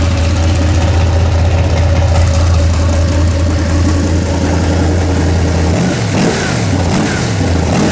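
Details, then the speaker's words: 406 small-block Chevy V8 in an S10 during break-in, timing set at 34 instead of 38 degrees and fuel mixture richened; deep even rumble at steady fast idle with smooth throttle blips, running better though not fully warm, timing possibly off. "it's it's doing better now that I fattened it up a little bit"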